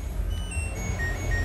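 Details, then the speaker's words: LG Smart Inverter washing machine inverter module with burnt A1015 PNP transistors on the supply and water-inlet solenoid lines, attributed to moss: very faint short beeps stepping down in pitch plus an error sound over a low hum. "Nah, wow. Ketika saya on kan, nah, kalian bisa dengar ada suaranya. Nah, gitu kan. Tapi pelan banget, men. Dan ini ada suara error."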